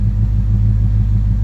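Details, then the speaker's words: Ford Coyote V8 after the cam phaser limiter reinstall to fix a timing chain chirp and rattle: a deep, even warm-up idle around 750 rpm, coolant 189, oil 29 psi. No chirp or rattle, much quieter than before. Normal idle. "Motors pretty much making normal noises we're at a pretty calm 750 idle"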